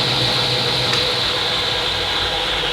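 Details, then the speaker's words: Table saw motor just rewired from 110 to 220 V, first run: smooth, even high-pitched hum at constant speed, no bogging or rattles, lights barely flicker and breaker doesn't trip; normal motor running. "But it's not popping the breaker. So I'm gonna call that a win."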